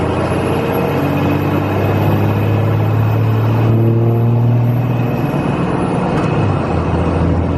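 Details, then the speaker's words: 2001 Cummins 5.9L 24-valve diesel after valve lash adjustment, heard from the cab while pulling and shifting on a test cruise: deep steady drone, no valve clatter; much quieter than the loud sound before; normal running. "It definitely sounds a lot quieter from in the cab here. This thing was louder than loud before."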